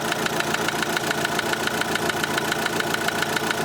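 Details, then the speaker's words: Opel Astra H Z17DTH diesel, Bosch fuel system, after another shop's overhaul and injector replacement: sharp metallic knock about 3.5 per second over idle, located at cylinder one; metal shavings later found in the sump, engine to be dismantled. "результат щось неякий стук іде з першого циліндра отут десь"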